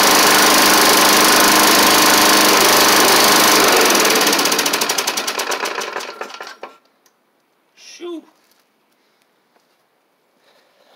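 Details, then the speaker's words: Snapper Hi-Vac push mower with a Tecumseh engine, first start after a carb swap and cylinder head cleaning: fast, rough, uneven single-cylinder running before it dies away. It smoked less than expected but sounds poor; the owner may add 20W-50 oil. Cause not confirmed. "she is running it ain't the it it didn't smoke up as bad as I thought but ma'am doesn't really sound the best either unfortunately"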